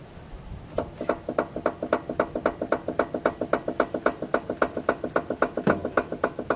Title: Barulho na suspensão!